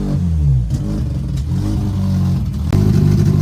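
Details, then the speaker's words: Mazda RX8 rotary engine first start after revival, exhaust not connected: loud raw buzzing revs rising and falling with throttle, running cleanly and pulling evenly; normal running, just no exhaust. "We obviously haven't got the exhaust connected up. It doesn't sound like a tractor"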